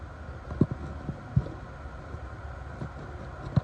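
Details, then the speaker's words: Rear drum brake adjustment on a 2500–3500 series van/truck with a full-floating axle: a tool pushed through the backing plate turns the one-way ratchet adjuster, giving soft separate clicks as it tightens the shoes. The self-adjuster is clicking normally. "You'll hear it click. Hard to get a good video. You hear that click? That's tightening it down."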